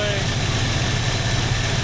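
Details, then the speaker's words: 1968 Ford Mustang that sat 30 years, now running on its own with the accelerator pump working: a steady, even, low throbbing idle with no misses, though the carb is still described as wonky. Normal idle. "We're getting some accelerator pumps working, so maybe we are getting fuel. Our ducks are excited, too. It's running on its own."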